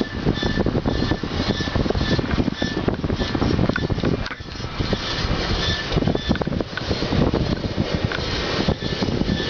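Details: Honda Civic: a rough, scraping metallic grind runs steadily under the car's running noise, with faint high squealing tones; grinding noise, owner seeking advice.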